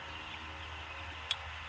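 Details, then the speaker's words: Poultry feed line control pan, reassembled after worn Mylar gasket replacement: flapper pulled by finger toward shut-off, single crisp click over quiet hiss, switch clicking both ways (off and back on); micro switch working normally, no adjustment of its screw needed. "See if you heard it click. Maybe you did. It's clicking both ways actually."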